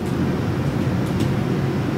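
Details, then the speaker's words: 1930s Delta DP220 drill press motor before restoration: steady, gritty low rumbling drone with no clear knock; the motor bearings are believed to be the source, though they show little notchiness or slop when turned by hand. "these bearings don't feel that bad I mean there really isn't a lot of notch enos going on but you know it's the source of the noise"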